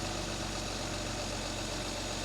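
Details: Mercedes 280 SL Pagoda, M130 inline six, points ignition, dwell about 32–34 degrees: steady even idle with no misses, knocks or hunting; dwell set right, running smooth.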